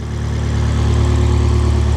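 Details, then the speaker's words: Rare Abarth Punto Evo, sat since April, listed non-runner, earlier cranked with seemingly no compression, now started: deep steady loud throaty idle, no knocks or misses; quite loud but sounds good, normal idle. "It's quite loud, but it does sound good."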